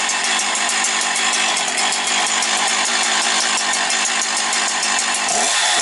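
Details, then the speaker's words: Husqvarna 365 two-stroke chainsaw, well-kept, after purchase: bright, busy buzz holds steady and even with no surging or stumbling; runs clean and needs no adjustment to settings. "Бачите, як гарно роби. Не треба нічого рухати зараз взагалі по налаштуваннях."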